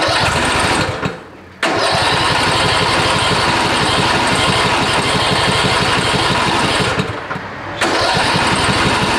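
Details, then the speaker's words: 2010 John Deere LA115 riding mower, Briggs & Stratton single-cylinder, 204.6 hours. The engine starts hard, runs loud and uneven, and nearly dies twice; puffs blue smoke, oil pushed out of the fuel pump. Blown head gasket. "let's get to the video and see first of all how it starts hard and when it does start it puffs blue"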